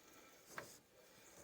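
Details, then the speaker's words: Chevrolet M1009/K5 Blazer drum brake during adjustment, wheel turned by hand: soft hiss with brief scraping ticks as the shoe lightly rubs the drum on this side, while the other side does not rub. "this side's rubbing this side's not I can tell by the sound"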